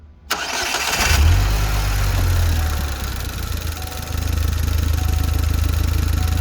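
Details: Saturn Sky after replacing the drive belt tensioner, whose bearing had failed: cranks and catches at once, flares, then settles into a steady even idle with no squeal or rattle; normal start and idle.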